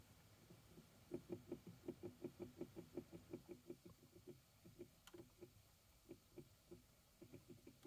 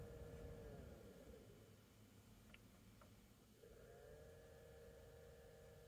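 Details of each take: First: 2012 Chevy Equinox HVAC blower motor at raised fan speed: steady train of hollow clicks, under three a second, with burnt motor smell from the vents; failing motor that sometimes stops working and won't restart. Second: 2012 Chevy Equinox new HVAC blower motor tested at every speed before the cover goes back on; smooth, even whirr changing between fan speeds with no rattle, clicking or squeal. It comes on fast and sounds healthy.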